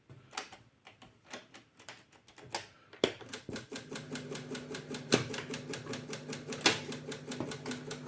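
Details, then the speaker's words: Japanese cassette player after light cleaning, test tape inserted: irregular sharp mechanical clicks every second or two with no tape motor hum, stop button not working; transport clicking instead of playing, cause unknown. "Ні, не працює. Воно, чуєте, клацає"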